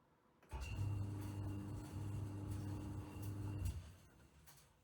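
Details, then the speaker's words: Haier HDY-D60 dryer that only hummed and would not spin, after repair (capacitor tested at 46 uF, within ±5%) and wall remounting: motor starts straight away with smooth steady hum and stops cleanly; runs well. "all right I've got the dryer back in place and hang up there on the wall and it's running really really well"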